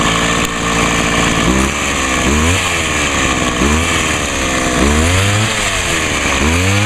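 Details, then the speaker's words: Homelite HT-21 hedge trimmer two-stroke after carburettor rebuild, no adjustment needed: steady buzz, then quick rev blips picking up cleanly each time; runs well and quietly with its small muffler. "she's actually running well I'm Ashley surprised how quiet that thing really is got a pretty small buffer on it"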